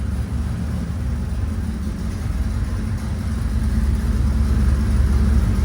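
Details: 1966 Chevy C10 with 383 stroker roller V8, restarted after sitting about three and a half years, exhaust not fully bolted up: deep, loud, even rumbling idle with a slight rise, open exhaust noise, no knocks or misfires; normal idle.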